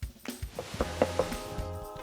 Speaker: when i tap this tile i can hear it's quite hollow underneath so there's obviously some gaps